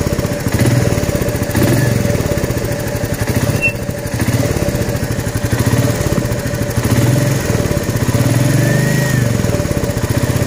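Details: Royal Enfield Meteor 350 at idle: steady single-cylinder thump with a fast, even ticking pulse riding on it; newly found unusual engine noise, cause not yet pinned down.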